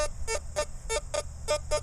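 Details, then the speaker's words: CF77 metal detector with 9-inch coil, mode one, iron audio on, piece of iron beside the hole: short tone bursts repeating three or four times a second over low background hum, the iron-target audio response. "okay I'm going to put the iron audio on and now you'll be able to hear that this little sound up here so I got a piece of iron right"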